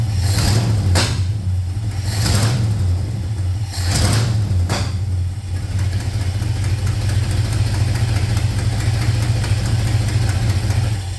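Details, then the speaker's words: 1971 Ford F250 V8 on its carburetor, cold-ish start before Holley Sniper EFI conversion: a few throttle blips settle into a low, even rumble with no misses or knocking; acceptable cold idle. "In all honesty, that wasn't too horrible of a cold-ish start,"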